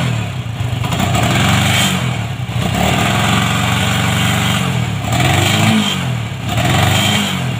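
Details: Honda MegaPro modified CB-style, kick start kicks back, dies when throttled: revs climb then stumble and drop repeatedly, cutting out under throttle; ignition cutting out.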